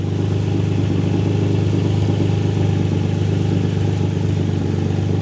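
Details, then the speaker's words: Nissan 350Z out of gear after fitting a thicker exhaust gasket between the Y-pipe, Tomei cat and test pipes: even, steady idle with no puffing or ticking at the joint; exhaust leak fixed, engine healthy. "I don't feel any leaks. Let's go. So, so far I guess we've done it. So far so good. No leagues."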